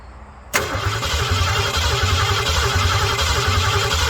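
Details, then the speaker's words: Ford Mustang 302 V8 with non-working ignition switch and damaged wiring, starter jumpered directly, coil reads 4.3 ohms: even cranking near four beats a second, engine turning steadily; solenoid and starter fine, ignition fault suspected as body ground. "Okay, that's good. So we know the solenoid's okay."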